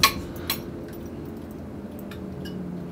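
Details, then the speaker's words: Dodge Dart after rewiring: faint even flasher relay ticks about twice a second over a low room hum, suggesting the turn signals work; normal flasher clicking. "if I hear the relay so I believe we have turn signals"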